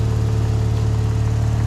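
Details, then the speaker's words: Old long-stored car started with a jump pack. Steady, even low-hum idle with no knocks or ticks; motor sounds good, normal idle, though the front right brake is seized. "Motor sounds good though."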